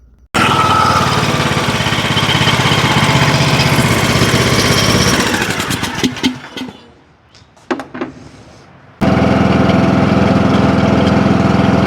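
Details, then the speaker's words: John Deere LA105 riding mower that previously ran only on choke, now running smooth and even without choke, no surging or stumbling, after carburettor repair and raising the idle. "Boy, she's purring like a kitten now."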